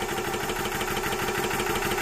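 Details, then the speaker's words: Orcair Thunder 4500psi PCP compressor, set to auto-stop at 200 bar, building pressure quickly: steady even pumping rattle with fast regular piston beat, no knocks or squeals, then shuts off; normal running, quieter than previous Yong Heng. "it's building pressure pretty quick should get to that 200 bar and then shut off and it shuts off"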